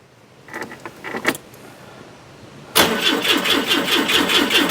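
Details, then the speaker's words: Citroen GSA with the alternator (suspected source of an engine noise) off: the starter turns over sluggishly at about two beats a second; the battery is going flat because the alternator isn't putting out about 13.8 V. "let's give her a quick start see what she's saying it's like oh that battery's going flat why has that gone flat"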